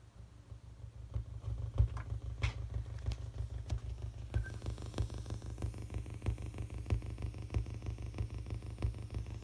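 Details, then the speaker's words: Audio receiver picking up a Z80 CPU's address LEDs counting in binary (halving blink rates, 20 ms, 40 ms) via breadboard ground tied to oscilloscope ground through MacBook aux; low hum with ticks about ninety a minute; ground loop interference. "I happen to notice that this receiver I have for my audio for my record player for my computer for all my game consoles was actually picking up on the LED sounds so if I turn up the volume here"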